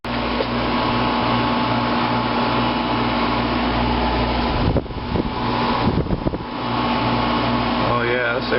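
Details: 1995 Fedders window air conditioner, never serviced or recharged, heard from inside while blowing nice cool air: steady, even fan rush over a smooth low compressor hum, no rattles or catches; normal cooling operation.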